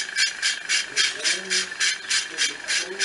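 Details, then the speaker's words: Ceiling fan with a broken bearing (rolimã) makes a rhythmic rasping scrape, about 3.5 per second, at every speed setting and while coasting down unpowered after switch-off; the fan is opened to find the cause. "achei que o barulho vem com esse baixar reta tá parando eu abri pra ver se eu consigo abrir"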